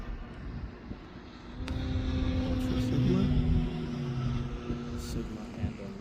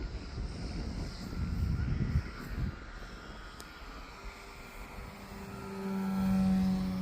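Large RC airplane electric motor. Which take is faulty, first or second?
first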